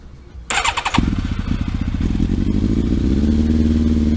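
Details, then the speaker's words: Motorcycle with undertray refitted, after a dead flat battery and a suspected loose starter-solenoid wire, running with no petrol tank fitted: starter spins briefly, engine catches at once and settles to a steady, even idle. "Right, so we've got this Undertray back on now. The bike now starts."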